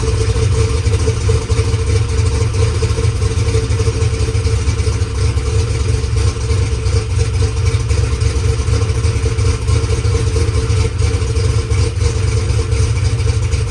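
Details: Drag race car that sat in its trailer for over two weeks, cranked with a few squirts of brake clean: a loud, deep, steady rumble with no stumbles or misses. It fired up and runs fine.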